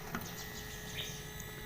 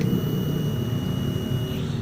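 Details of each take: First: Honda Beat ESP scooter with ignition on and engine off: faint steady electric hum as the fuel pump keeps running instead of stopping after about three seconds; ECU or wiring/ground signal fault suspected, to be repaired; scooter also stutters and speedometer was dead. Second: Honda Beat ESP scooter after repair, ignition switched on: thin steady high fuel pump whine under low rumble cuts off cleanly after about three seconds, where before repair it ran continuously; normal fuel pump priming.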